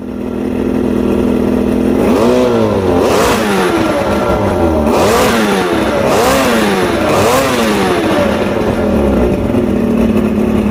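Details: Two-stroke outboard after a 3-week rough idle, surge and misfire diagnosis, with all new electronics and everything rebuilt: revs up and back down cleanly several times, then settles; crisp response, no stumbles or misfires, running right.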